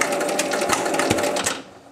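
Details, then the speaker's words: 1975 Williams Little Chief pinball machine under evaluation: rapid mechanical clatter about ten clicks a second runs on then cuts out, a stuck switch keeping the unit firing; 10-point and bonus scoring also faulty. "Oh, tu sais, il reste collé."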